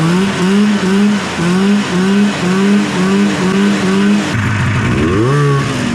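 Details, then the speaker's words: Arctic Cat snowmobile two-stroke after carburetor rebuild with float set lower for more fuel: crisp revving and clean settling, no stumble or bogging between blips; runs sassy now. "All right, well, there you go. She runs sassy now."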